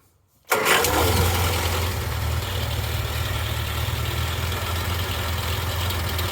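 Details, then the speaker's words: Morris Minor rat rod first started after 20 to 30 years in a garage, with fresh oil and points: cranks, catches and settles into a low, lumpy idle with uneven, chuffing exhaust beat that drops a bit with the clutch in. "sounds quite freddy out that exhaust so that noise goes away when you push the uh goes down a bit when you put the clutch in"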